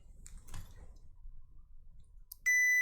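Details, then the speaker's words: HP PS-4241-9HA power supply after its TNY IC was replaced. The multimeter gives a sudden loud, steady, high continuity beep, showing the board is still shorted. The owner suspects an untested small diode or the optocoupler. "so there is a short yeah there is a short still on the board there is a small diode there which I did not test which is this one it might be faulty"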